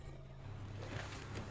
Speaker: idle RPM is now perfect, it's 750 engine come on it's working temperature